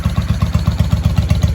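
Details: 1995 Honda Shadow VLX VT600CD, first start after cleaning switch contacts and rewiring, spark restored, air filter off: loud, even unmuffled exhaust thumps about eight a second, no misses or rattles; healthy idle.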